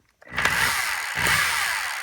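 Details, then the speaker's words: Hilti TE24 hammer drill after brush repair, no bit fitted: motor spins up quickly to steady high whir with no grinding or sputtering; normal running. "There's nothing in it, but you hear it spinning."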